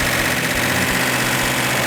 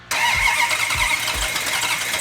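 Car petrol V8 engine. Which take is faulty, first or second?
second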